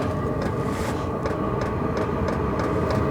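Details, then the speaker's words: All-in-one diesel camping heater warming up after ignition: steady combustion rumble with pump ticking about three times a second and speeding up, no heat yet at the outlet; normal running. "and the pump actually increased a little bit in speed there's getting a little faster now no heat yet"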